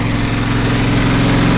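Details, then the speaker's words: John Deere SST16 zero-turn mower, unstarted for about five years, running after carburetor work with probably year-old fuel, on choke: steady small-engine drone with uneven wavering idle; carburetor needs adjustment, mixture suspected off. "some adjustment for the carburetor yeah at least some it's adjustments buddy it works for the first time in like five years or so"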